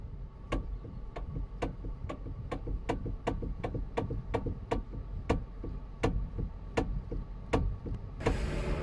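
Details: Hyundai/Kia with the steering wheel rocked left and right: sharp, hollow clunks about twice a second, felt through the wheel from the steering column, typical of a worn rubber eight-point steering coupler bush.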